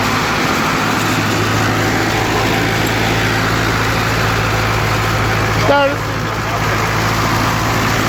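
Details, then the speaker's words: 1942 Ford 9N tractor after work on the distributor points: starts right up and runs with a steady even hum and low drone, no misses. Normal running. "We ran out of memory storage, so we're going to start it up and see how it runs. Ooh, look at that."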